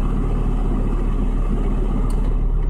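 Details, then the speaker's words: Nissan Sentra 2.5 four-cylinder driving after replacing the ignition coil for a P0301 cylinder 1 misfire, hot day: engine pulls evenly under road noise with no stutter; normal running, power back. "all right no more sputtering so far is running pretty good no misfires excellent and that's what we want to hear I guess just go for a test right now but everything seems to be running smoothly"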